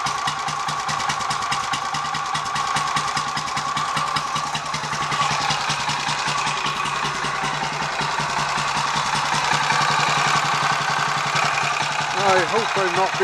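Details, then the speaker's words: Royal Enfield 500 Machismo electric start, after starter sprag/freewheel work and 20W-50 oil replacing ATF; cold on choke, loose slightly uneven single-cylinder thumping, no harsh starter clatter: normal idle. "biased but I think that sounds a bit better already"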